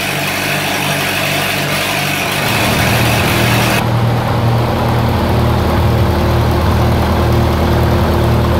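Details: 1948 Lincoln SA-200 welder engine, long unfuelled, carburetor refitted and temporary fuel rigged, settles after startup into a steady low thrum, about 2.5 beats per second, no knocks; got running with little work, healthy.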